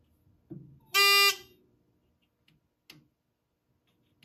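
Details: Edwards 6616 fire alarm control panel, built 1997, works cold but fails when warm: after pull-station alarm and silence, reset gives a short loud electronic buzz then faint clicks, no clean reset; trouble persists, possible inhibit delay.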